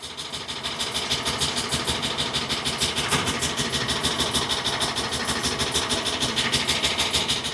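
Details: 2013 Ford E450 6.8L V10 (F53 chassis) brought in on a tow truck with check engine light on; uneven, lumpy, pulsing chuff at idle, misfire detected on cylinders 1, 6 and 10, confirmed by scan tool.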